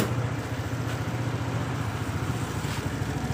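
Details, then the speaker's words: Suzuki Nex scooter on a cold morning start, hard to start, now running: small single putters with a slightly uneven, wavering idle. Owner blames the automatic idle air (ISC) sensor closing, fixing it by making the ISC manual. "Hai motor Suzuki Nex pagi-pagi mesin dingin susah nyala sekarang sih udah bisanya masih sudah enak"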